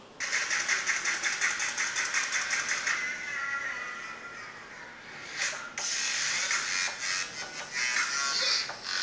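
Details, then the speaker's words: MacBook Pro 2012 speaker after repair with rubber cement to its peeled outer suspension: music plays clearly, thin but clean, with the earlier crackling gone. "so guys as you hear the crackling sound of this laptop is gone so the speaker is kind of fixed"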